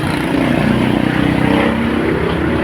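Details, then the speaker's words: Toyota Hilux idling after alternator pulley and timing belt replacement: steady droning idle with an even beat, no belt squeal, rattle or whine. Before the repair it was very loud, "like a helicopter," with the T-belt light on; the light is now off and the engine is quiet. "Wala nang ingay mga boss, oh. Tahimik na."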